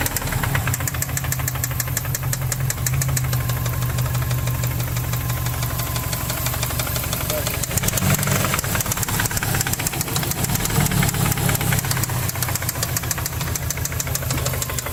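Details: 2005 Subaru WRX flat-four petrol idling with a steady, deep knock throughout. Rod knock suspected, not confirmed.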